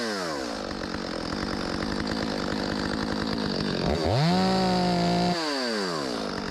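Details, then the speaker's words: Stihl 025 chainsaw, possibly 16-inch bar: rapid idle buzz snapping up to a high steady scream and dropping back cleanly; runs well, needs only slight mixture adjustment. "Need to be adjusted a little bit. I can hear it. It got a little bit more in it than that. ain't gonna win no contest, but pretty good. Rips, baby."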